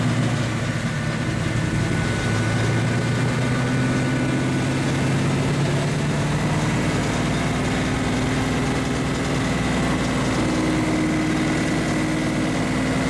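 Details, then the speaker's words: 1935 Chevy Master with newly installed 409 stroker V8, first start-up on jack stands; oil pressure and temperature good; steady even idle, smooth low rumble, no knocks or misses; sounds cammed; normal idle. "how the gauge is looking the pressure is so much good sure sounds good sounds like it's got a cam in it buddy"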